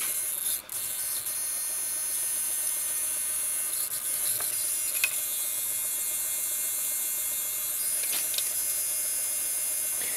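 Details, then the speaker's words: Tarot 450 Pro V2 helicopter during Fitec FS9357D tail servo setup with Robird G31 flybarless unit. Thin, high-pitched steady buzz with faint crackle as the cyclic servos chatter while holding position. "you can hear those other servos chattering"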